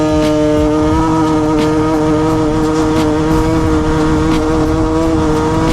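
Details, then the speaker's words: Piaggio Typhoon two-stroke scooter, warm, with the air mixture screw turned about 3 turns out from fully in. It revs buzzy and flat and strains without pulling cleanly. Lean bog. "let's see what she sounds like now. I'm guessing she's going to bog and get too much air."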